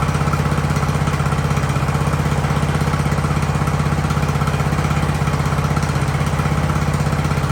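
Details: Ariens hydro-drive riding mower, sat at least two years, in about 30-degree cold: steady, even low thump with no misses or surging, holding a smooth idle throughout; engine running healthy.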